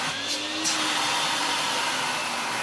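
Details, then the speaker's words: Vax Rapide 5150 3-in-1 vacuum, an eBay unit missing most parts, on first power-up after cleaning. Steady, smooth high-pitched motor whir at one even pitch with no rattle or surging, and very good speed control. The motor runs healthy despite its looks. "Very good speed control. For a motor that looks and sound well looks like that, it sounds really good."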